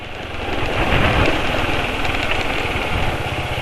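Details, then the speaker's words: Motorcycle engine idling rough in fairly cold weather after riding on Castrol Neutron oil for only about 200 km; harsh, uneven idle with quick rattly tapping, already rough since leaving; owner blames the oil and plans to drain it for Win 20W50 JASO MA2. "jadi ini suara mesin kasar ya padahal ini cuacanya cukup dingin tapi ya ini"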